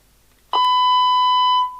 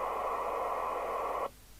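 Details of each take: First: 1988 DNT Transit 40 CB27/81 UK FM CB radio after repair. The no-receive fault was a small corrosion patch on the PCB, cleaned with IPA and resoldered. Speaker reconnected: a clean steady test tone of about 1 kHz plays with no crackle or dropout, so receive works normally. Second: 1988 DNT Transit 40 CB27/81 UK FM CB radio, repaired. Squelch threshold set to the minimum at which it will open. Loud steady hiss cuts off abruptly; the squelch is weak and noisy by design and won't mute the residual background noise.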